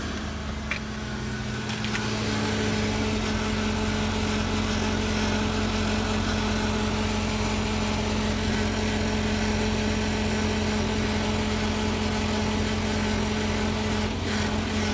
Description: Lately there’s been a grinding/rattling noise coming from under my 2000 Chevy Tahoe (near the fuel filter).